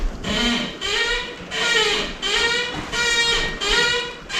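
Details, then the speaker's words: 2010 Ford Ranger during front wheel bearing replacement: high-pitched, dry creaking squeal in slow regular bursts following the body rocking; suspension squeak, owner not worried about it. "now you can hear the suspension squeaking"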